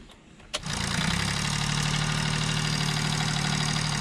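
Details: Car that developed louder injector noise after a fuel additive was put in the tank; engine catches and settles into a rough idle with steady clatter around three per second, diesel knock, owner suspects injectors.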